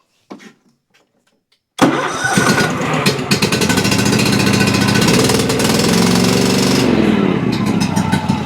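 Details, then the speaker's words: Cub Cadet XT2 riding mower, MTD PowerMore fuel-injected V-twin, seat switch bypassed; short crank, then weak, labored, lumpy running. Spark plug unplug test shows only one cylinder firing. Engine running on one cylinder. "Again, definitely doesn't sound great. I've only done one thing to this and that was I've checked both cylinders to make sure it's firing on both cylinders and it is not. It's actually only running on one cylinder."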